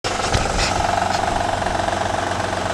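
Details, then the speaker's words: Honda/Acura V6 over 100,000 miles, cold engine: fast, even diesel-like tapping about a dozen a second that goes away once warm. Failed timing belt tensioner lets the belt flap. "now in a honda if you have anything like over 100 thousand miles on this particular v6 that timing builds on it when it's cold sounds like this and then warm up and that noise go"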